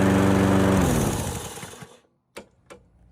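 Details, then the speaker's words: 1990s MTD mower with a Briggs & Stratton Quantum engine at shutdown: a rough, scraping grind while coasting down, from a flywheel brake pad worn to metal-on-metal; the pad was replaced. "That means that this little brake pad here is completely worn off, and now it's metal on metal contact. This is a serviceable part."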